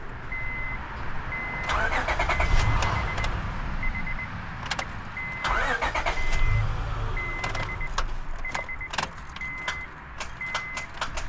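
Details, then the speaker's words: 2005 Honda Odyssey: sharp clicks with each key turn but no cranking, over a steady warning chime; starter solenoid clicking, starter diagnosed as failed and needing replacement. "it's doing it just getting a click click click I don't know if you guys can hear it in here but just clicking"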